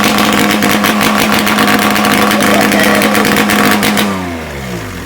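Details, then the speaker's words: Ski-Doo Formula III triple two-stroke with muffler off, first start in weeks after carb and race-valve cleaning: loud crisp unmuffled rev that drops smoothly as throttle closes; normal revving, unmuffled. "probably gonna go right out the door that's loud that sounds good there's my eardrum though"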